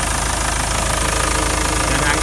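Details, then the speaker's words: 2001 Ford Transit Mk6 2.4 TDDi diesel after auxiliary belt, automatic tensioner and idler pulley replacement: even diesel clatter at steady idle, no belt squeak, squeal or knocking; quiet, normal idle. "but the engine is running much quieter now much nicer no more knocking"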